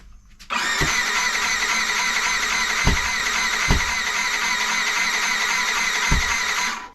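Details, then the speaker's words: Yamaha YZF R125 after the engine was refitted with a new radiator: starter cranks steadily for six seconds with a few dull pops and no catch, petrol smell, some blow-back; cranks but won't start. "right got a little problem not starting I can smell petrol let's give it another go a bit of gas maybe there's no gas in the system yet"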